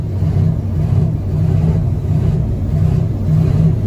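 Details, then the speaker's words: Used diesel pickup truck with the gas pedal floored under load, codes including P0113 and an exhaust pressure sensor fault. Deep labouring diesel with an uneven, lumpy low beat; misfiring on a couple of cylinders, injectors failing. "this is what it's doing under a load i've got the gas pedal floored"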